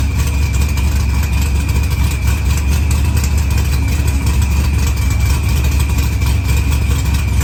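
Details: Supercharged LS-swapped Mopar drag car with zoomie headers, fixed after blown head gasket, new IAT and fuel pressure sensor, firmware updated, fuel trimmed, timing 10°; loud even V8 idle with blower whine, no misses; normal idle.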